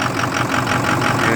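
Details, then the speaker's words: 2006 Ford F250 Super Duty 6.0 Power Stroke with a hard start and loss of power, cold start after 5-5.5 hours on the block heater, phone on the steering wheel, fuel pressure just over 50 psi: lumpy, clattery, uneven idle; rough idle, cause unknown. "i don't know if you can hear how rough it's running put the phone down on the steering wheel it's running rough"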